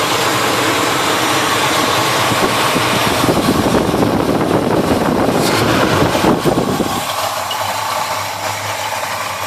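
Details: Chevy 350 V8 in a 1971 Chevelle, chased for a persistent misfire (number one plug had been wet), after carburetor parts swap and readjustment with the plug now dry: runs evenly with no misfire stumble or ticking, then settles lower into a steady smooth idle.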